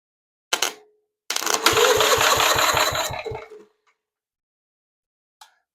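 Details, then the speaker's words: Vintage 1943 Gravely Model L garden tractor with Jenkins overhead valve conversion, cranked by jumper pack on the starter: engine turns freely with even, rhythmic compression pulses about three a second, pumping compression; normal cranking. "Okay, sounds good. Um, actually sounded like it was pumping a little bit up here. So, it sounds like we got some compression probably."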